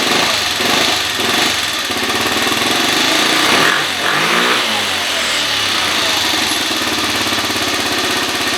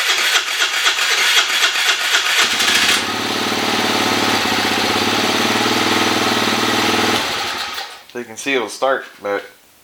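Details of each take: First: 2013 Kawasaki KFX50 quad after raising the carburetor needle one slot: small single revs up and drops back to an even idle with no stumbling; runs much better. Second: 2013 Kawasaki KFX 50 quad that wouldn't start when bought: several cranking tries, then it catches and runs unevenly for about four seconds before fading; hard starting, owner suspects the carburetor.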